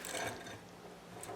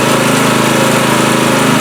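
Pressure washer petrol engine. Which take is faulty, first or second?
first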